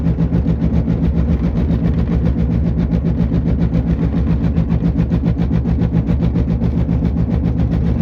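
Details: Driving: deep, steady droning hum with fast rhythmic throb from a bad front passenger-side wheel bearing, confirmed as the cause and fixed.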